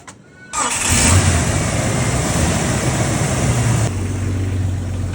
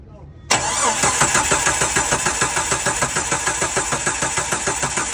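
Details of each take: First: Jeep with a crank-no-start fault: PCM not controlling the ASD relay, so the relay is manually grounded to power the injectors. A short crank, then it catches at once into a steady, even idle; only a temporary fix, the computer is faulty. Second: Jeep crank-no-start: even starter cranking at a few beats per second for five seconds that never catches; ECM fault code for the automatic shutdown relay, which powers coils and injectors, with 0 V measured.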